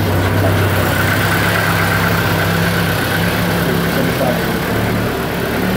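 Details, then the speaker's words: Honda Accord with low power and stalling on acceleration, TPS and MAP connectors reversed: the idle hunts and lopes unevenly and never settles; rough idle from the swapped sensor connectors. "well I don't know if you guys can hear that you guys can hear it but it's it's not really idling well"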